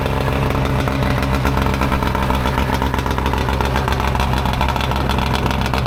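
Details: Mercury 115 outboard on muffs after fixing a fuel leak that made it rev high and adjusting linkages: steady, even smooth fast idle with no misses, knocks or surging; running properly.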